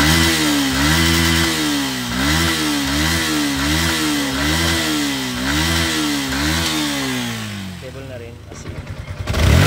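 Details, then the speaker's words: Sniper v2 motorcycle that stumbled at high revs from fluctuating fuel pressure, after replacing the fuel filter and fuel pump IC: fuel pressure stable, engine revs in quick even blips with responsive throttle, no hesitation. "responsive responsive na yung kanyang throttle at RPM."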